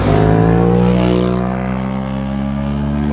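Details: BMW M5 E60 V10, car at 500,000 km, replacement engine from a 2009 M6 with rebuilt rod bearings, throttles, idle actuators: smooth, even V10 note blipping and settling, no knock or grumble; healthy engine.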